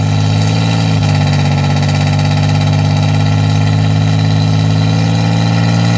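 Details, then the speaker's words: 1987 Chevrolet Celebrity Eurosport 2.8 V6, 237k miles, cold idle, recorded at the tailpipe before the MagnaFlow catalytic converter install: steady deep idle with coarse, raspy drone and fuel smell. "I'm actually going to be putting on a catalytic converter or a resonator to quieten down the raspy exhaust noise that it has and the smell of fuel."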